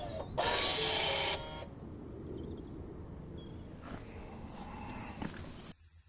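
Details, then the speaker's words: 2016 Ford Mondeo MK5 electronic parking brake, after rear brake pad replacement, exiting EPB maintenance mode via FORScan with ignition on: brief high even whirring buzz of rear-axle motors calibrating to new pads, nothing grinding; normal. "Confirm it. And you will hear the electric motor on the rear axle calibrating and adjusting to the new brake pads."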